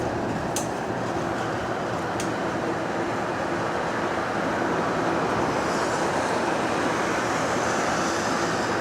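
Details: Bus GAL EBD67 on route SL4 after a creaking suspension fix, recorded inside while moving: steady road and drivetrain rumble with no creaks or groans over bumps. Quiet suspension.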